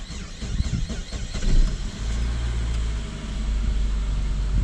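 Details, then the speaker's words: Saab 9-5 petrol, start right after fuel filter replacement: uneven churning for about two seconds before catching into a steady low idle; very slow start while fuel pressure builds, then idles well. "was a very slow start yeah we're going we're at the fuel build on doing it a little Rev up just get the battery life time it's idling good besides in a bit it was very slow started"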